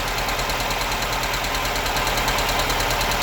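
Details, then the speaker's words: Honda Civic EK hatchback whose timing belt had snapped, idling after startup: a busy metallic rattle and hiss, with valves ticking and a loud throw-out bearing noise that changes when the clutch is pressed, indicating a worn throw-out bearing. "so the vowels are ticking and you can hear the throw out bearing loud noise they go press on the clock"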